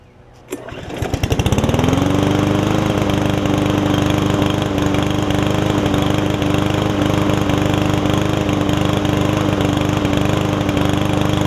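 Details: Yard Man self-propelled push mower with Powermore engine, long unused, after carb clean and freeing the self-propel: pull start catches within a second and settles into a steady, even single-cylinder run with no misses or knocks, healthy.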